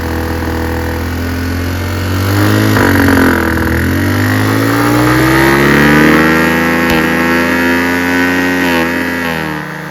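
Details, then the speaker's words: Chinese 150cc GY6 scooter with the airbox removed and an open intake: revs unevenly, stumbling and sagging under throttle, then fading. Lean bog and stall from too much air; it runs better with a hand partly covering the intake. "It's full air going and it'll bog, and I can't even throttle up without it stalling."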